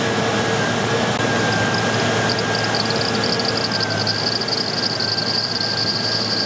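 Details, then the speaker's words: Running Ford engine with a high repeating chirp, about four a second, from the serpentine belt, heard while scoping a two-wire cam sensor for a hard cam sensor fault code; a chirp like this can sometimes be the cam sensor itself. "okay you guys hear that you hear that chirping uh that is the serpentine belt"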